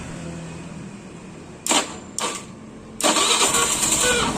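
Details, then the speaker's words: Fuel-injected scooter that died without throttle, after fuel pump and dirty injector/throttle body servicing: two short starter bursts, then catches and settles into an even, steady idle without throttle; idle now stable. "Oke teman-teman, motornya itu sudah hidup. Oke, ini tanpa saya gas bisa teman-teman lihat. Motornya slow sendiri ataupun stabil, udah stabil."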